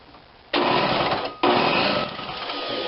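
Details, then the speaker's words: Snapper 17-inch snow thrower, cranked electrically with a compression tester fitted (about 100 psi): two short bursts of quick, even cranking with weak pulses as oil and junk spray out; the cylinder is flooded. "See all the junk coming out? Oh boy, that's a lot. See all that shit coming out? Holy shit. That thing is full."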